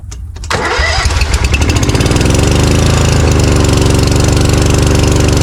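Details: Briggs & Stratton Vanguard 20 HP V-twin on a zero-turn mower that lost power when hot, started with only the right-side coil plugged in: it catches quickly and settles into a steady, even low thrum. Normal running, pointing to a weak ignition coil.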